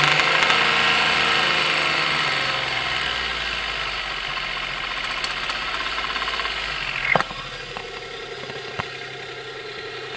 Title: Knocking Noise After Seafoam 1993 Geo Metro